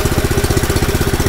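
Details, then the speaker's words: Honda GX160 compressor engine, unused about 3 days, started without choke, throttle raised: crisp, evenly spaced single-cylinder beats about 13 per second with no skips, stable and with clean combustion. "Dari suaranya itu dia lebih stabil dan dari bau asapnya itu terlihat sekali untuk pembakaran yang sempurna."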